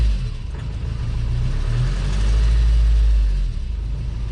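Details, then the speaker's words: Honda Civic 2.2 diesel, 249,842 miles, scrap car being readied for sale: revs rise smoothly and settle back without knocks or stumbles; sounds like a normal healthy diesel. "sounds like every diesel normal doesn't it I suppose it does what it says on the tin"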